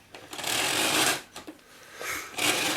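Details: Miele Revolution PowerPlus 5000 vacuum after bodged repair of a blown-apart female connector in the handle: motor surges to full whoosh then cuts out and restarts in uneven bursts; intermittent on-off fault, connection suspected, not yet investigated.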